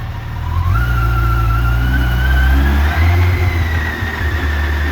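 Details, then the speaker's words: Yamaha FJR1300 AE, 63,000 miles, transmission fault, sitting in fifth gear (the gear that works), engine idling and revving smoothly with a faint gentle whine; runs and idles normally. "as you can see it's in fifth gear which i put in fifth because that's the good gear that works so we'll start it here runs idles perfect"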